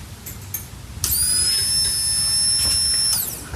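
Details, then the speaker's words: Pontiac Fiero after 30 years parked, new fuel pump and sending unit temporarily connected, tank out: at key-on a quiet steady high whine for about two seconds then stops cleanly; normal fuel pump priming. "ooh I think I heard it yeah awesome all right cool sounds like it's working it's not real loud pretty quiet hopefully it's doing its thing"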